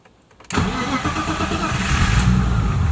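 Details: BMW E30 M20B25 turbo six, after fuel pump problem was fixed (pump now quieter): brief crank, fires almost instantly and holds an even idle with no stumbling; starts and runs fine.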